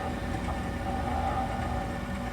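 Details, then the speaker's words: Corn-burning stove after motor replacement, back in service, before the fan kicks on: steady low churning hum with faint dry scrape, no knocks or catches, auger turning smoothly; normal auger feed. "auger turnning what is I wanted to show it to you before the fan kicks on cuz then you'd hear the noise the fan"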